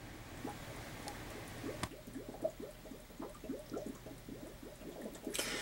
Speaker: now you you'll start hearing it gurgling and stuff and what this is doing is allowing the gravity to pull the water out from the bottom and this is going to suck air into the tank to allow it to drain